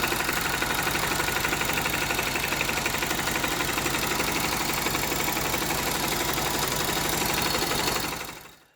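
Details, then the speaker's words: Honda GL Max Neotech motorcycle engine before teardown, owner complaint of rough noise, oil seepage, possible low compression: rough busy idle with hard ticking clatter about four times a second from head and clutch area; stiff timing chain and scored rocker arm. "Nah, itu dia bisa teman-teman dengar sendiri suara mesinnya kasar ya, terutama di bagian head dan bagian kopling."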